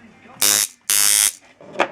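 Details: Heavy coil tattoo machine running at 10 volts: loud, harsh, high-pitched electric buzz in two short bursts and a brief third; running normally, the loudness put down to how the frame is built.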